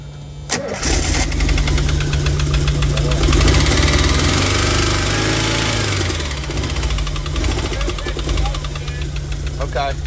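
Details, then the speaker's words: 1987 VW Vanagon Syncro Westfalia, parked since 2001, just-installed engine: starts, then runs unevenly, stumbling and bogging on throttle, won't idle, oil pressure light and buzzer on, blowing coolant from muffler; vacuum leak suspected. "We got like vacuum leak type issues. It's, I give it throttle and she bogs."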